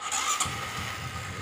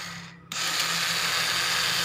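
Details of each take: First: Honda Supra 125 whose starter motor spun backward and couldn't turn the engine, fixed by correcting reversed magnet installation in the starter casing: brief starter whir, engine catches cleanly and settles to an even idle; normal start. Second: Honda Supra 125 starter motor spinning in reverse because the magnets were fitted backwards in its casing: sudden high-speed electric whir with no cranking beats underneath, the engine not turning; starter freewheeling.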